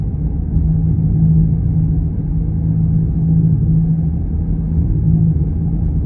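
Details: Steady low drone under the road rumble at cruising speed, its tone holding with speed and changing when veering side to side; a bad wheel bearing.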